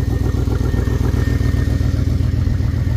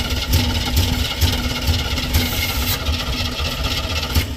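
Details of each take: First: Square-body dump truck sitting about ten years, after freeing stuck carburettor float and fitting new gasket: steady even idle with firm low thump about 2.5 times a second, no misses or knocks; normal idle. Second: Square-body dump truck sat about 10 years, flooded carburetor: cranks and stumbles unevenly with lumpy beat and rattles, then dies; stuck carburetor float needle.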